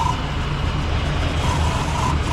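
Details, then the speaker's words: Ford Country Squire just started after sitting: rough engine rumble with a faint, wavering squeak riding on top at each turn. The accessory belts are chirping; some steam but no smoke. "What is that sound? Belts."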